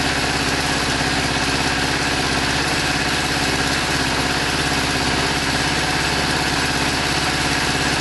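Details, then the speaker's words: Kawasaki GPZ600R at its first start after over 18 months standing, choke on: idle has an uneven, stumbling beat with missing pulses; one of four cylinders seems dead or barely firing, the fourth heard trying. Misfire on one cylinder. "I hear the 4th trying. It's definitely there somewhere."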